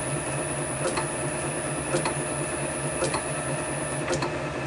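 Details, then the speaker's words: Motor on VFD with carrier frequency (F07) raised above 10: low even hum with faint soft tick about once a second, no shrill whine; little different from 10, about where it should be. "it doesn't seem to make a lot of difference so I'd say that that's about where it should be"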